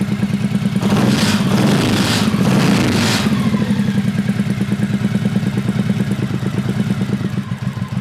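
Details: 1985 Honda VT1100 Shadow with sidecar, hurricane-swamped, after carb rebuild and priming: a couple of throttle blips, then steady, even loping V-twin idle with no knocks, enricher off, rust-colored exhaust smoke; running healthy.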